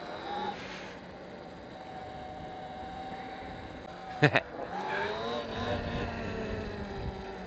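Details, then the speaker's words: Electric motorbike (E-Ride Pro SS / Sur-Ron / Talaria type) after brake fix, pads sanded with 320 grit and anti-squeal paste applied: smooth motor whine rising and falling with throttle, one brief click, no squeal coasting and braking; brakes quiet. "So, damit war der Beweis jetzt geschrieben, dass das quasi hilft, ne? Also für alle, die so komische Quietschegeräusche haben, do it yourself."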